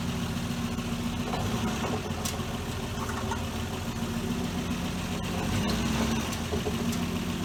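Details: 1966 Dodge Dart GT, Slant Six 225, under throttle on a wet road after timing was reset from way advanced (about 20–25° BTDC). Even, steady drone, no popping or stumbling. Running much better, normal.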